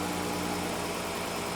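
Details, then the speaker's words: 2013 Dodge Caravan 3.6 L V6 idles with a slight uneven stumble; check engine, traction control and flashing throttle lights on; scan shows misfires on multiple cylinders, mainly 1, 3 and 5, with P0300. "so we are basically misfiring all over the place"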